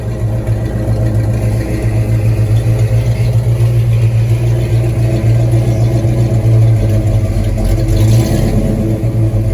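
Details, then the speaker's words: 1986 Ford Mustang GT, original miles, sat a long time: steady running with an uneven, lumpy beat and slight stumble at idle; rough running, misfire suspected, cause not pinned down. "Uh-oh. Kind of sounds like it's messing though."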